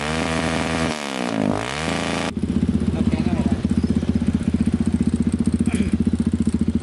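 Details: Kawasaki KLX 150 that had lost ignition spark, started after spark check with a test bulb: single-cylinder thumper settles into steady, even beat at idle, no misfire; normal running.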